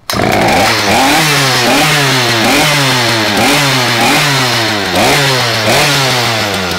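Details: Poulan P3416/P3314 chainsaw after cleaning, hose replacement, carb rebuild and a spark plug gapped to about 28 thousandths: loud, even two-stroke buzz with a steady rise and fall in pitch about every 0.85 s; runs cleanly without stalling or misfires.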